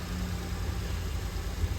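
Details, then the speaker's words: Jaguar E-Type at full operating temperature with cooling fans running and choke in, during carb balancing/adjustment; steady deep idle, even low hum, no knocks or misses; car seems okay, normal warm idle. "So we know we're operating at full temperature now. Car seems okay."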